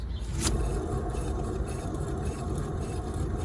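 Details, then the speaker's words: 2011 Skoda Superb rear wheel spun by hand: low, steady gritty rumble from a bad left-side wheel bearing; noise heard driving straight above about 30 mph. "a very nice that's a bad bearing here"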